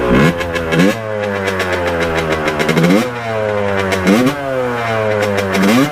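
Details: 1989 Kawasaki KX125 two-stroke, pilot jet cleaned earlier, first ride after warm-up: revs climb sluggishly off the bottom in repeated blips, rough at high rpm with thudding boom-boom; owner thinks it runs really lean; cause unconfirmed.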